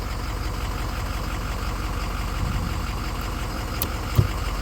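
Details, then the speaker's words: 2005 Ford F-350 6.0 diesel idling, after replacing a plugged, restricted hydroboost line: brakes applied with normal pressure and no hiss, brief soft knock; earlier hissing pedal and locking brakes fixed. "brake pressure, no hissing sound, so that plugged line did fix this."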